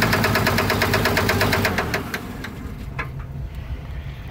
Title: Engine knock